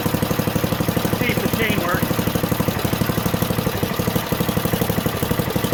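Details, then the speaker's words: Junkyard Ditch Witch C99 trencher, old, year unknown, small single-cylinder engine: steady putter about three beats a second at idle, even and unbroken; running halfway decently, though the self-propelled drive doesn't work. "well i was able to get it running halfway decently but the uh self-propelled feature of it that that doesn't work at all"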